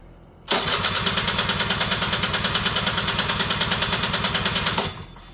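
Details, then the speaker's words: Honda EZ90 Cub cranking with a steady starter chatter of about three beats a second for four seconds, never firing. The petcock was not on run, so no fuel reached the engine. "My petcock on the right way? Put a little more fuel in there."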